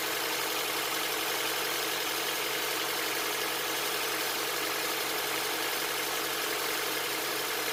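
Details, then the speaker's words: 2007 Honda Accord after timing chain replacement with Melling kit, just started: smooth even idle with soft steady hum, no ticking or knocking, no check engine light; engine sounds healthy. "Sounds good, no check engine light. We'll get it up to temperature and we'll change the oil."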